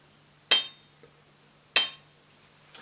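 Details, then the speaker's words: Used crankshaft held by the connecting rod, top tapped lightly: bright, ringing metallic tone, unlike the dull, deep sound of a new crankshaft; worn big-end bearing play. "ist eher so ein metallisches Klingen. Also das hört sich eher heller an. Ja, ist eher heller."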